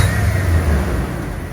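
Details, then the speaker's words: Vehicle that idled too high, after the idle air control valve was replaced and timing was reset (computer unreadable by scanners): low, even rumble settles without hunting or racing; idle now correct, "sounds much better". Intake also appears to leak coolant. "Oh, it sounds much better. Oh, you heard it before? I heard it, but it was just racing for no reason."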